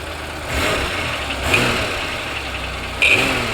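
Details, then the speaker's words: 1992 Oldsmobile 98 3.8L, no clunk at idle; revving brings a dull clunk or knock back at higher RPM, confirming a bad harmonic balancer. "You can see if I rev it, that clunky noise or knocking noise does come back with higher RPM. See that guys? So, this pretty much tells us it it is a harmonic balancer, guys."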